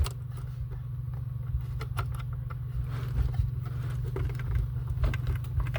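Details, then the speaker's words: Truck car audio system with new engine noise and whine in the speakers, owner suspects bad 4-channel RCAs: constant low droning hum from the subwoofers, not that bad, and always present in the subs. "Now I got a little hum there. But that's not that bad, but I mean I've always had that um in the subs."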